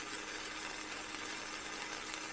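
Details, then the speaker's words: Vevor MIG 130 flux core welder set at 65 for 1/8-inch steel, flat beads: steady, even frying crackle with no pops or sputtering; smooth, steady arc, the sound to aim for, with a heat setting that was really good. "you hear how smooth and fitting it is that's the sound you're looking for"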